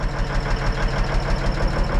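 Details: Cabover diesel idling after overhead valve adjustment (injectors not set, lacking special tool): steady low thrum with faint regular light tick; owner unsure, wonders if compressor put out of time. Abnormal ticking, cause unconfirmed.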